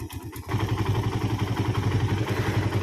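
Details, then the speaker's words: Suzuki Satria FU with rough engine noise from a worn cam timing chain and manually converted tensioner; after repair and oil fill it settles into a steady even idle, about four pulses a second, with no chain rattle, normal. "So now let's pay attention, so we can listen to the sound, then we'll try turning it. Is there a change in the sound or not? This is quite smooth for the sound."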